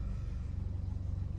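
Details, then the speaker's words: 2015 Buick Encore 1.4L, warm, after replacing the faulty valve cover (codes P0106/P0131/P0171/P1101) that caused rough idle with a fluctuating needle about 20 s after start: steady, even low rumble with no hunting; normal, very smooth idle. "You can see the engine idle normal now, very smooth."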